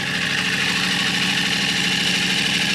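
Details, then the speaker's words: 2023 Yamaha RMAX side-by-side, first start after engine rebuild, in neutral with fresh coolant and oil: even, quick idle with a steady beat and no knocks or misses; engine sounds smooth and healthy. "Kind of let our coolant go. Man, that sounds so smooth. I can't tell you how nervous I was about that working."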